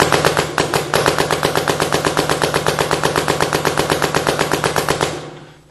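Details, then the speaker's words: 2009 Smart Parts Shocker NXT paintball marker, 2009 board in PSP ramping; rapid evenly spaced shots at a steady rate of about 10 balls per second, ramp cap working correctly. "Now what we're going to do is now we're already in PSP ramping, so we should be at about 10 balls per second, PSP ramping, and this should be the legal mode for PSP going into 2009."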